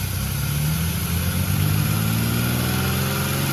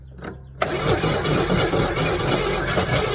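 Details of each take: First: 1981 Chevrolet Camaro 3.8 litre V6 after decades of sitting, running with fuel line hookup, check engine light on, throttle return springs not reconnected; steady even V6 idle with smooth low rumble, no knocks or misses, running healthy. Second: 1981 Chevrolet Camaro 3.8 L V6 sitting since 1989, first start attempt after a battery hookup: after a short crank it catches and stumbles unevenly with only one or two cylinders firing, never settling into an idle; rough running on one or two cylinders.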